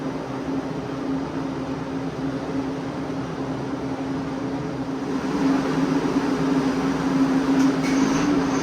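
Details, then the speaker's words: Freshly rebuilt Ford FE 390 big block for a '67 F100, on the dyno with Aces EFI, at first fire-up: smooth, even roar with a steady low hum, rising cleanly as revs build; no knocks or ticks, healthy running. "Big blocks sound good. Big blocks sound good. That sound real good. Fired right up, boys."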